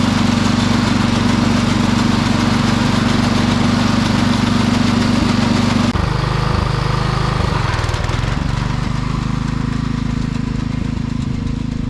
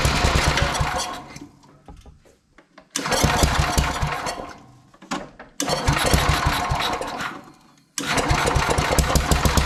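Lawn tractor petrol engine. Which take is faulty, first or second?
first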